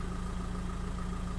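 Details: 2005 VW 2.0 TDI PD (BKD, no DPF) at idle during a measuring-block check: steady, even low diesel idle with a smooth regular beat and no knocks or hunting. EGR and boost values are closely matched; a healthy idle.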